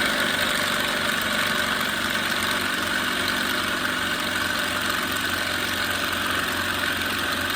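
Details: Small portable air compressor after repair, outlet plugged, testing pressure switch: constant steady motor drone with fine even rattle while building pressure; normal running.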